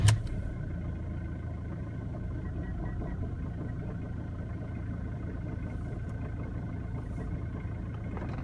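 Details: 2006 Ford Mondeo 2.0 TDCi Titanium diesel at idle: a lumpy, uneven low thrum that never smooths out. Rough idle, cause not known.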